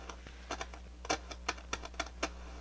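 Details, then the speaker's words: Harman Kardon 75+ receiver, no input: irregular crackles and scratchy bursts over steady low hum as volume knob turns; scratchy volume control, treble and bass clean. "volume's a little scratchy trebles clean base is clean got some hum there so that's with no input"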